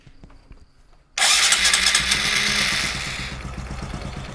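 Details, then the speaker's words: Very cold motorcycle with vacuum fuel tap after priming the carburetor by hand: pause, then loud starter whir with uneven firing pulses that never catch to idle; cranks but won't start, attributed to the cold. "Nah karena sangat dingin dia belum mau belum mau nyala"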